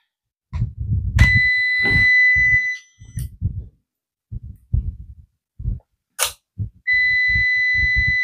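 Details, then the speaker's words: UPS after power-on: buzzer gives a steady high-pitched tone that keeps sounding instead of stopping while its light blinks; cause not identified. "yan mga lods bale nag-on na po siya mga lod pero hindi po tumitigil Yung kanyang bas mga loads"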